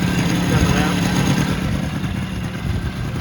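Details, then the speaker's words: Polaris Sportsman 90 two-stroke after a top-end rebuild with new piston, rings and gaskets, idle jet drilled out and oil injector working; crisp, busy burble at an even speed with no misfires or rattles, running great with more power. "It runs great. Quite a bit more power than it used to have."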